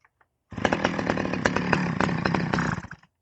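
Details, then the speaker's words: Stihl 011AV chainsaw, non-running saw revived, carb low and high mixture screws each set one turn out: catches and runs ragged and uneven about two and a half seconds then dies, running lean; needs about half a turn more out on both jets. "Okay, looks like it needs a little bit more on the low jet like I had it and the high jet for that matter."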